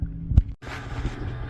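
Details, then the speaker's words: A2 bowling pinsetter after replacing a bad motor contactor, switched on via the scoring system with wires wiggled: steady low mechanical hum with a brief dropout, then smooth even running, no knocking or grinding; normal running. "I'm going to give this one a thumbs up because everything seems to be in in good working order."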